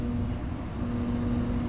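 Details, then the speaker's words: Ice Air PTAC unit tripping its breaker: flat, heavy electrical hum holding steady, the compressor stalled on locked rotor drawing about 40 amps on the common wire. Intermittent locked rotor. "But it's going to be a wrap for the other one. Intermittent lock rotor issue. There you go. 40 amps."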